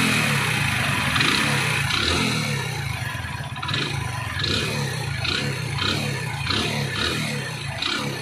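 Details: Hero Splendor Plus at 32,314 km, overheated on local engine oil: the single idles and revs with a loose metallic tapping over the exhaust that rises with revs. Piston slap from the worn piston and rings.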